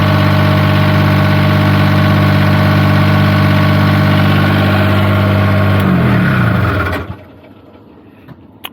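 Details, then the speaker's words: Niftylift HR17N/SP50N diesel engine after fixing error 27 start/stop fault by reconnecting the DST wire: even, steady idle, then winds down and stops cleanly; no more random starting or failure to shut off. "so that's looking good [Laughter] stops just fine [Music] no problems at all"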